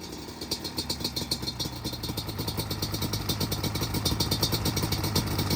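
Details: Customer two-stroke J-arm bike of uncertain year (possibly 1989), with the idle and air screws set, engine moderately warm. Crisp, regular pops and clean throttle blips build smoothly, with an even idle: running decent, much better than before.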